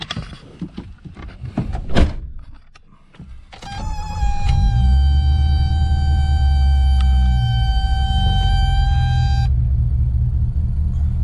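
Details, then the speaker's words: 1984 BMW E30 with M10 four-cylinder, cold start, settles into a steady fast idle around 1300–1400 rpm that stays high when warm; faulty ICV control box in the glove box blamed; high idle. "as you can see my idol is like 1300 1400 rpm somewhere in that neighborhood it's not crazy for it being cold i haven't ran the car at all yet um but even after it warms up it stays in this area which is kind of annoying at a stoplight"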